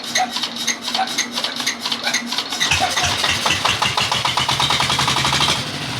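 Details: Dompeng S1115 diesel that pushed oil out the exhaust, after both loose valves were replaced with new valves and carbon cleaned: it catches and settles into a quick, even chuffing idle with no knock and no white smoke in the first minute. Running normally.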